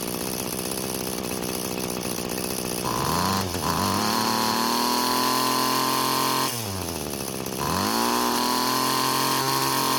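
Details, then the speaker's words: String trimmer two-stroke after cutting off two of four string ends on heavy trimmer head; note dips under load then climbs to a higher, steadier pitch, a definite engine speed increase from reduced head load. "so there was a definite increase in engine speed just getting rid of half the string ends"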